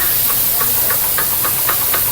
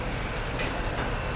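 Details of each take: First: Mitsubishi Xpander, noisy when accelerating and turning: steady clicking knocks about three or four a second from a worn drive shaft (CV) axle; the other side is quiet, so the axle will be replaced. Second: Mitsubishi Xpander that was noisy when accelerating and turning, after installing a new genuine front drive shaft axle, on a test drive: steady low road rumble with no clunks or knocks from the front axle.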